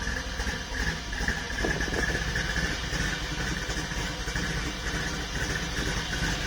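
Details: Volvo 240GLE with LS2 V8 swap, turbo project, full single 3-inch exhaust fitted, wideband disconnected: deep V8 burble at idle, steady lumpy pulse with faint whistle on top; normal idle.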